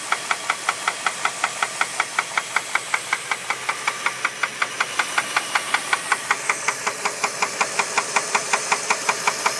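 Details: 2001 Jeep Grand Cherokee 4.7 running: sharp even knock about twice a second over the engine; owner suspects rod knock, not confirmed.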